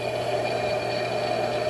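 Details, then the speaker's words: Old L&A electric pressure washer from a barn, freed up so the contactor now switches the motor on; steady even motor hum with no knocks or catches, motor running smoothly while belt and pulley drive the water pump. "Let me show you the motor. So we're on. Motor's running pretty smoothly."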